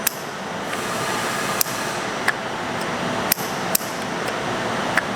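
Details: Sharp single clicks at irregular intervals over quiet hiss: both solenoid valves of a custom machine-shop coolant system (Grundfos pump, RO filter, tote tank, float switches) switching during a full system test; solenoids operate normally.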